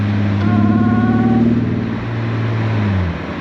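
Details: Supercharged Mercedes SLK320 during a ride: something suddenly broke; uneven, lumpy exhaust beat that stumbles as revs drop, first thought a broken-off exhaust; misfiring on one cylinder from a loose plug lead.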